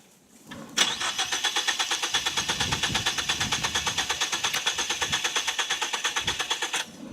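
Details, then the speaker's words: 2014 Ford Focus, repeated start attempts: brisk, steady starter cranking for about six seconds with no sign of firing, then cuts out; cranks but won't start. "car forget it this is the about third section of tries to start this car I'm about as fed up as can be"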